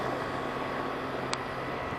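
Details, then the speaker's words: Rheem HVAC outdoor unit after replacing a capacitor with melted wires and terminals and fitting a new contactor. Smooth, even hum with steady fan rush and one brief click: compressor and fan running normally. "let's see if this unit comes on now see if the fan comes on there we go sounds good"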